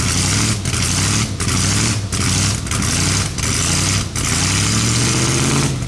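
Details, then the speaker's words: Budget-build S10 engine, first start after sitting 2–3 years and a throttle-body pressure regulator replacement, smoking slightly: rough idle puffs and chuffs with a dip about every second. Leaky ticking exhaust. "Now there's a few exhaust leaks, if you didn't hear it, that I have to go back over."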